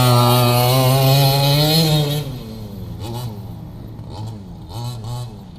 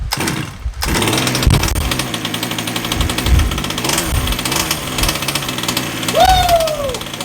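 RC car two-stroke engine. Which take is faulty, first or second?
second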